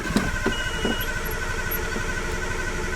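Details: Nissan R32 Skyline in neutral cranking at a quick even rhythm but never firing, after water-contaminated 93-octane fuel was drained and replaced; fuel pump priming sounds very faint, owner suspects it is dying; gauge reads fuel present; crank no start.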